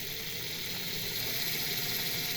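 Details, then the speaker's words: Jouef EMU 5154 model train with modified drive, on a rolling road at maximum speed on a Mehano controller: high, smooth whirring with a light gear hum and no rattle or grind; still slightly noisy but improved. "I think that's maximum so on the on the Rolling Road it doesn't sound so noisy"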